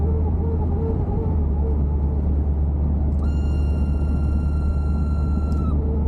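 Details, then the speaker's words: 1984 Buick LeSabre Limited barn find, revived after sitting for years, cold day, heater blower at full fan: low steady rumble then a thin high squeal for a couple of seconds, not a good sound; cold-to-hot slider also stuck; abnormal blower noise. "not a good sound. All right, that's full fan."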